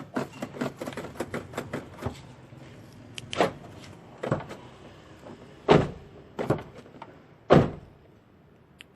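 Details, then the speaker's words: Toyota Agya/Ayla/Wigo front right door lock actuator after replacement of the jammed unit and reinstalling the trim. Crisp, single firm lock clicks come every couple of seconds with no buzzing or stalling, and repeated locking works normally. "Ini sudah kita coba lock berkali-kali dan hasilnya tidak ada kendala."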